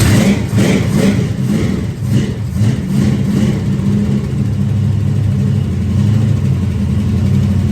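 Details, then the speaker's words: 1973 Dodge Dart V8 revs quickly but idles with slight hesitation and struggles to turn over with a little too much ignition timing, not yet dialed in; rough running from timing too advanced. "So you hear how it's kind of struggling? I got a little bit too much timing. It's struggling to turn over, so it means we're getting really close to being where we want to be at."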